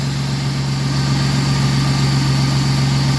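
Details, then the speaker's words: Ford Mustang 40th Edition V8 at a Copart yard, just started: smooth, even idle with a steady low rumble and no misfire. Appears well maintained; alternator looks brand new. Normal idle. "no real misfire at all or anything that runs pretty smooth man"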